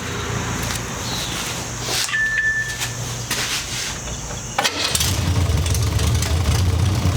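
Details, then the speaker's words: MGB GT after refitting missing bolt on post connecting starter motor to solenoid (weak connection had stopped it working); engine turns over, fires, settles into steady even idle with low regular pulse, no stumbling. "I had taken it off at some point and didn't put it back on, and so the connection was weak and wasn't working. I just put it back on, and well, I'll let you listen to it."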